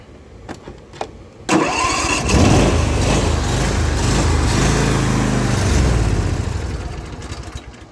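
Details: Zero-turn mower, following a valve adjustment; catches after a couple of cranks, then idle wavers and surges, and with blades engaged it bogs and won't stay running; owner found no head-gasket signs; cause unknown.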